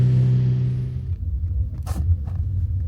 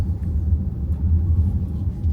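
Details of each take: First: Kia EV3 GT Line S after one year of driving, on the road before lubrication: irregular sharp rattles and clicks over low road rumble, from the tailgate (boot) rattling. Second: Kia EV3 GT Line S after one year, driven over speed bumps after lubricating the boot latch with silicone: steady low road rumble with no rattle or tap from the rear. The tailgate rattle is gone.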